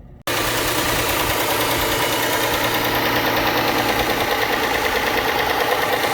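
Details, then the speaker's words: Dodge Charger/Chrysler 300 3.5L V6 idling: fast, light ticking above the engine hum, most likely worn rocker arms, common on this engine; fix is replacing both rocker arm assemblies. "so if your engine sounds like this it is most likely the rocker arms noise"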